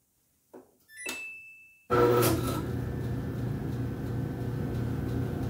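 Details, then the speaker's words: Samsung dryer on pressing start: a click and short beep, then a steady low electrical hum as the drive motor buzzes but fails to start, indicating a bad motor. "that's the buzzing sound that you would hear for a bad motor indications of a bad motor once power is applied to the motor the electrical feedback in the start windings of the motor"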